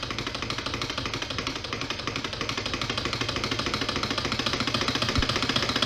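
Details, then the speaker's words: Twin opposed solenoid engine, Scotch yoke on ball bearings, 7-inch flywheel, 1/2-inch stroke, Arduino-timed: fast even clicking pulses, about ten a second, quickening slightly; low torque at this power, slowed by a finger, runs freely and fast; normal running. "slowing it down with my finger there doesn't have a whole lot of torque at this power but because it's still friction free it still tends to run kind of fast"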